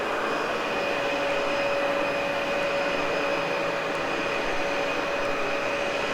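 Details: Cleaned, practically brand-new Dyson UP13 upright vacuum: steady airy motor roar with a constant whine around 500–600 Hz, no rattles or surging; normal running.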